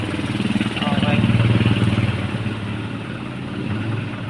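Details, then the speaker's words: Isuzu 4HL1 diesel after repair for hard starting and cranking without firing: settles into an even, steady idle with a regular low chug, no stumbles, no longer rough as before; normal idle. "Okay na siya mga kaayos umandar na pa paung andar niya an maganda na po yung andar niya hindi na po tulad nakaraan na garalgal po siya"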